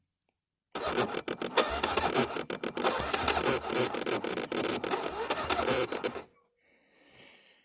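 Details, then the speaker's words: Machine left outdoors in cold weather, owner suspects a dead battery: rough, uneven, slow labouring cranking at about three to four turns a second that never catches; no start, cause not confirmed. "that's gonna dead battery if it was a summertime I think it really started this thing"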